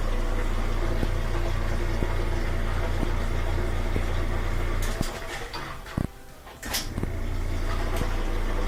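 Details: Whirlpool washer on spin after replacing a broken motor coupler (broken by heavy loads such as blankets). Steady, even hum with a smooth low drone, no knocking or grinding; spinning normally after the repair.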